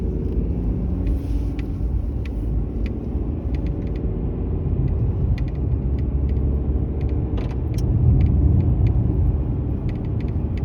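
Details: Mercedes-Benz E-Class W213 under warranty, intermittent noise dealer failed to find after about 8 visits, while driving: dry irregular crackles and clicks behind the dash over cabin road rumble; dashboard rattle.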